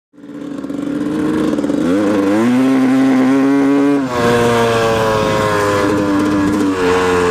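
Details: 1997 Yamaha YZ250 two-stroke with FMF Fatty pipe, in first and second gear under load: revs climb and hold with a raspy, rattly edge through the pipe; weird noise present, cause unknown.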